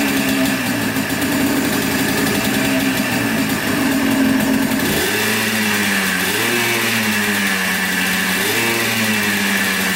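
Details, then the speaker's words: 1996 Yamaha Blaster 200 two-stroke quad, after carburetor fix (likely was flooding, pin wrongly positioned): idles then blips up cleanly several times and drops back, crisp and free-revving with no bog; normal revving, fixed. "definitely revs out more give it that i think it's uh pulling on the throttle cable though sounds pretty good i think she's fixed"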